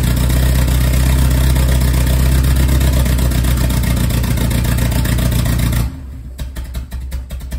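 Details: Lotus Esprit, no start: steady starter whirr with even pulses near four per second for about six seconds, then stops without the engine firing.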